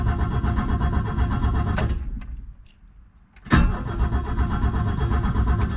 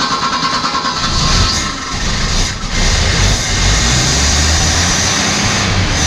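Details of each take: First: Abandoned Ford XF Falcon ute, first start attempt: starter cranks the engine evenly at about three pulses a second, pausing briefly midway; cranking normally, though a cracking is heard, suspected ignition coil arcing. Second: Abandoned Australian Ford Falcon ute six-cylinder, stale fuel flushed, thermostat just opened: lumpy idle with irregular stumbles about once a second, worse at the front than the back; suspected lean misfire from a dirty carburettor idle circuit, not a sticking valve.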